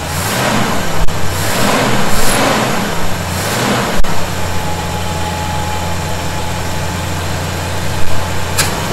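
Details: 1971 Chevy C10 V8 after a cold start and re-snugging of loose fasteners suspected of a vacuum leak: a few throttle blips, then a steady low idle with no hiss or whistle from the carb. Runs normally.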